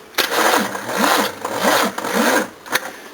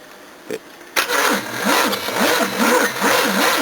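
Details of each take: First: Second-hand Nippon Denchi GS battery cranking a 351 V8: slow, uneven cranking of about two compressions a second that sags and stops without firing; tired battery. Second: Battery test cranking a 5.7-litre 351 V8 with a lazy starter on long jumper leads: brisk, steady cranking with even compression pulses about two per second, strong and consistent throughout; battery holding up fine.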